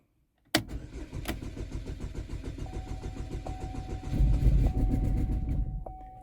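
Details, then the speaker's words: 2012 Chevy Equinox/Terrain, junkyard engine test-started before install: steady starter whir with rhythmic cranking pulses and odd near-catches but never fires; check engine light on, possibly priming fuel system; later started with a misfire. "all right here we go check engine lights on all right so could just be priming the fuel system we'll see"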